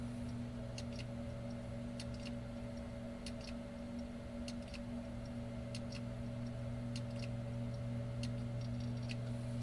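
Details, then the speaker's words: Seagate 1.5 TB hard drive after a spindle motor replacement and platter swap: sharp paired clicks about once a second over a steady spin hum as it calibrates and initialises at start-up, then comes ready normally. "so we have a busy icon here you may hear the drive clicking it's also attempting to color to calibrate and initialize and it's not unusual for this to behave this way"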